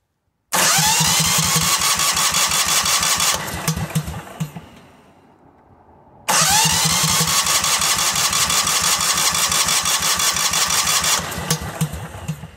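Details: Cub Cadet 2130 garden tractor with water and rust in the fuel system and a non-working choke: two long cranking bursts with uneven chugging pulses, catches weakly but never idles cleanly; hard starting and rough running, cause not confirmed.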